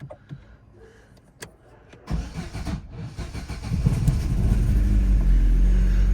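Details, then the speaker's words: Opel Astra H with a misfire and poor pull-away (codes P0120, P0340, P1120, P1635): labored cranking at about three pulses a second for two seconds before it catches; the starter is worn and dragging. "Стартер підгулявший."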